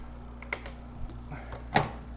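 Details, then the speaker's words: Troxus Lynx fat-tire e-bike (Bafang 750W motor) on kickstand, pedalled in second gear after the rear derailleur indexer was adjusted; only a soft chain whirr with a few light ticks, no rubbing or grinding. Quiet drivetrain. "so I'm going to reach up go to second gear that's nice it's really quiet"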